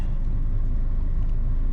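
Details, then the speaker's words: 2006 Honda Accord after spark plug replacement: low, even idle rumble with no stumbles; scan tool data shows no more misfires, misfire codes solved by new plugs; white smoke still from tailpipe. "It's not misfiring anymore, so that's good. We took care of that, right?"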